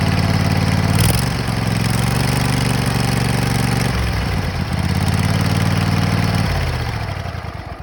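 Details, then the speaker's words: 2004 Kohler Command 23 HP engine on a zero-turn mower, 580 hours, after replacing blown head gaskets: starts quickly and runs a steady, even drone with clean revs; only smoke is leftover oil burning off in the muffler. "so after I put this thing together now it starts and runs the only smoke that's coming is there's leftover oil in the muffler that has to burn off"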